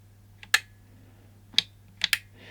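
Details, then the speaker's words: Wi-Fi controlled UK USB socket outlet: four crisp clicks at uneven intervals as the momentary switch is pressed, toggling the internal relay for the two sockets. Normal relay clicking. "now the switches here you know you can hear the really clicking there so if you press it once as the relay and that's really on that one"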